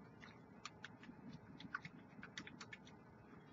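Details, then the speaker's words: LMC Redemption 80 W single-18650 vape mod: light, irregular plastic ticking and clattering as the large loose fire button rattles in its housing. "guys hear that button that button rattle is terrible LMC absolutely disgusting which makes it feel extremely cheap"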